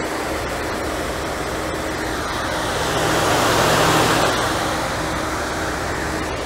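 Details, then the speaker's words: 1992 Mercedes 300E W124, M104 engine, after 10 minutes driving up and down a hill, temperature good, after correcting wiring that made fans cycle and overheat: low-speed auxiliary fans give steady even whoosh, staying on without cycling. "low speed fans are on let's see if they're let's see if they stayed on voltage is good see if they're still on or they're cycling yeah I can hear"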